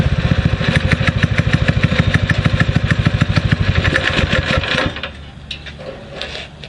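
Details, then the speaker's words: Predator 6.5 hp clone engine on a springer bike after carb re-jetting and a spark plug clean: single-cylinder thump about three beats a second, slightly uneven from the exhaust note but steady, idling and responding well; normal running. "yes sir I'm impressed I am impressed I uh I like to wait idols I like the way it responds"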